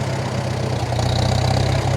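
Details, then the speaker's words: 1947 Farmall M, first start since October: regular pump gas sat all winter. After draining the tank and adding five gallons of fresh fuel, the idle is low, lumpy and stumbling. Owner suspects a lot of water in the fuel, likely from condensation. "as you can hear it's still running quite rough but my guess is it's quite a bit of water in the fuel"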